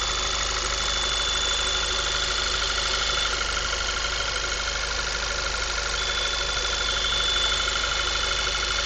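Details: 2010 VW MKV 2.0 TSI, about 1000 miles, APR stage I and Neuspeed intake, warm after driving: thin steady high-pitched whine over idle hum; owner suspects failing water pump, not confirmed.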